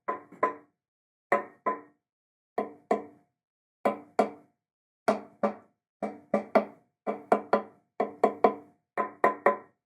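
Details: Screwdriver taps on guitar fret ends, sharp wooden taps in pairs and triplets, some ringing differently; guitar dried out in a dry climate and buzzes, revealing loose fret ends on both sides.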